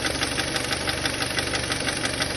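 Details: Kia Sportage 2.0 at idle after removing and cleaning the camshaft phase sensors: steady fast ticking knock over even idle, unchanged; engine knock remains, cause not found.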